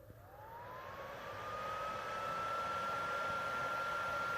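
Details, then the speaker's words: PS4 Pro at startup loading a game, owner's cousin gets too-hot warnings; fan whine climbs steadily in pitch and loudness over a few seconds and holds high, before cleaning; loud cooling fan. "can hear how loud it gets it gets even louder"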